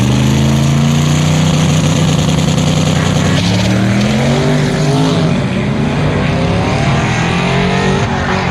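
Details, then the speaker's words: Twin-turbo third-gen Camaro on a drag pass, targeting 15 psi, at full throttle: the engine note climbs and sags repeatedly as the closed-loop boost control oscillates, surging the engine. "it's like it just keeps oscillating boost"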